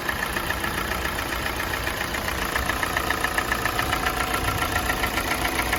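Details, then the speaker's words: Kia Sportage 4G 2017, G4NA engine, 265,500 km, idling as it warms up: steady rapid knock about two per second, absent at cold start, growing with warm-up; owner thinks not piston knock, cause unknown. "Вот сейчас обороты упали, слышно стало. По мере прогрева мотора возрастает вот какой-то стук, которого при пуске не было."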